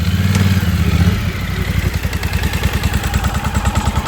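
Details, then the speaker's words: 2024 Polaris Sportsman 1000 V-twin with plug submerged in water, idle dropping from about 1250–1300 to 1200 rpm: lumpy, uneven with a missing beat every few pulses; one cylinder drops out as the wet plug wire arcs. "Now we're idling down at 1200. You can hear it missing very badly."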